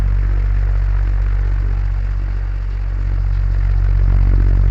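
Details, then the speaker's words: DC solar fan after repair: smooth, steady low hum and soft air noise, much quieter than the earlier noise, normal running. "শুনতে পেলেন আগের থেকে কতটা improve হয়েছে"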